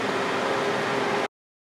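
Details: 2008 Honda CR-V after A/C compressor replacement, system recharged (just over 1 lb), A/C on maximum with thermometer in vent: strong steady rush of air with faint even hum, no squeal or knocking; normal A/C operation.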